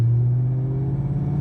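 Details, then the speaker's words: 2003 Mustang Mach 1 V8 after fixing misfires from aftermarket coil wiring: third gear, 25 mph, low rpm, full throttle under good load, deep steady rumble with no misfire or shaker shake. "alright here we are third year twenty five miles an hour not a lot of rpm good load on the engine full throttle"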